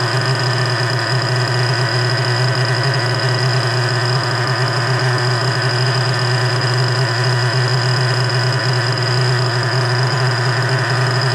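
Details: Freshly rebuilt 3.3 engine with new bearings, after carburetor mixture adjustment: a steady, even idle drone with no hunting or surging. It is now idling smoothly.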